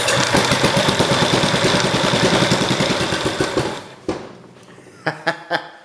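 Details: Kohler K181 small single-cylinder engine, with spark confirmed and idle raised after it wouldn't stay running at a too-low idle: thumps steadily at about three and a half beats a second, then shuts down with a few pops. Normal running.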